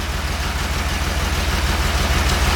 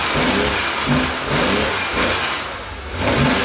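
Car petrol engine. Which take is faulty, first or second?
first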